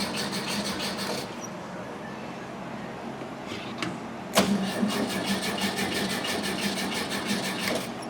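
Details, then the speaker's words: 1971 VW Bus cranking, possibly flooded: uneven starter rhythm with occasional catches that never take hold; a timing light shows spark triggering inconsistently; owner suspects the coil breaks down when hot, though it reads 4.1 ohms, within range. "Inconsistently, though. It's not hitting every go around, and I can watch the like no spark right now."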